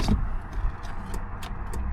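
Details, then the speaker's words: Chevy Blazer 2-door at auction, fuel below empty: a few light dry clicks per key turn, relay heard but no starter spin, no crank; owner suspects a bad connection, not confirmed. "No. I don't hear a starter at all. I hear the relay. It also has no fuel, none."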